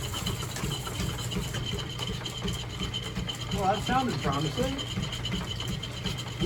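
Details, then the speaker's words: Boring a cast iron pulley dry with a high-speed steel tool in a lineshaft-driven machine shop: steady low drive rumble with dry scraping chatter, briefly breaking off where the casting has an inner hollow; normal dry cutting noise. "some might say why aren't you using oil why is it making such a noise that's because when running high speed steel and cast iron don't put oil or it'll absorb it and act as a lubrication and just slip"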